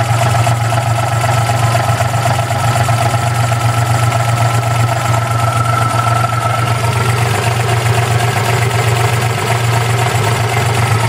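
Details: 1992 Geo Metro LSi 1.0: low, steady idle with an uneven, lumpy pulse of about four beats a second; engine idling rough, cause unclear.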